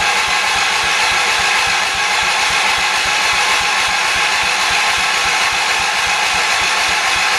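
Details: 1978 Shifting Gears 208 tractor after head gasket replacement, choked, gas in tank: starter spins engine steadily with even compression pulses about five a second but never fires; owner suspects no fuel or a plugged carburetor jet.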